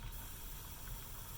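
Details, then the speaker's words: Refurbished 1982 La Pavoni Professional espresso machine, first power-up, boiler heating: soft, steady hiss of steam venting from the release valve with a faint low rumble underneath; normal steam release during warm-up. "tell this right here we are releasing steam off of here which is good off of the release valve it happens tilt"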